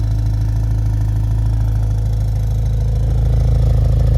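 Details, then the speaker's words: BMW X5M V8 with stock exhaust, at idle in winter; fast fairly regular buzzing rattle from the inner exhaust flaps, noisier on one side, owner thinks it eases once warm; exhaust flap rattle. "It seems to be noisier from that side. I think once the car warms up, it goes away a little bit, but I don't really like it."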